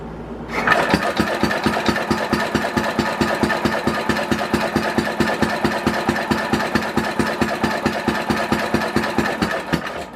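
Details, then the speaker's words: 1967 Simplicity Landlord 2010 lawn tractor: steady cranking a little over two compressions a second for ten seconds, fuel reaching it and carburetor deemed fine, but never fires; cranks but won't start, cause unconfirmed. "I'm getting fuel down in there, you guys can see the fuel in there, but it just won't fire over, and I thin"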